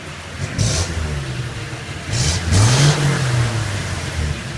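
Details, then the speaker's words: '61 Chevy truck after fitting new spark plugs, started without gas or choke: engine blips up and settles smoothly, pitch rising and falling cleanly with no stumble or misfire; idle sounds much as before; normal revving, running healthy. "you can just hear the difference in its running hold on see started it right up I'm not even pressing the gas I promise you that choke's not on and off starting right up great it's running great"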